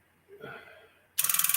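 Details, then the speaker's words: Tube linear amplifier under repair (two capacitors being replaced) still has one of its two relays chattering, rapid buzzing clicks about twelve per half second, snapping back and forth without latching; the other relay stays locked; relay chatter, cause still being diagnosed. "yeah it's still doing it here how it's chattering it's just uh the relay on this here is just going back and forth back and forth"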